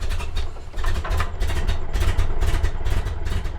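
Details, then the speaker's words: Bone-stock 1929 Ford Model A coupe, 40 hp four-cylinder, long-sat, first start on old gas after cleaning coil connections, on choke, hand throttle backed off, smoking a little. Uneven low chuff with sharp pops: rough running with backfires. "It's fully running. I'm backing off the hand throttle. It's smoking a little. WOW, IT RAN. IT BLEW SMOKE. It made noise."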